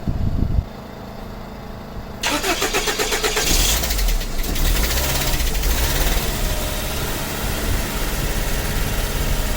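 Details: 1985 Toyota van sitting 11 years, with airflow-vane intake installed: starter cranks, then engine catches and runs rough with uneven stumbling low rumble, barely keeping going; cause suspected, not confirmed.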